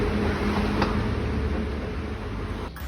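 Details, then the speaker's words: Car driving on the road with a steady droning, howling hum like a passing aeroplane under the road noise, easing as it slows. Unlike a silencer leak, it does not persist when stationary: worn wheel bearing. "ആയി കഴിയുമ്പോൾ നല്ല റോട്ടിൽ ഓടിക്കുമ്പോൾ ഭയങ്കര ഒരു sound വരും ഒരു കൂവുന്ന ഒച്ച വള വരും പിന്നെ അല്ലെങ്കിൽ ഒരു നല്ല ഒരു ഏറോപ്ലെയിൻ പോകുന്ന പോലത്തെ സൗണ്ട് അങ്ങനെയുള്ള സൗണ്ട് വരുന്നത് വീൽ ബെയറിങ് പോയി കഴിയുമ്പോൾ ഉള്ള ഒച്ചയാണ്"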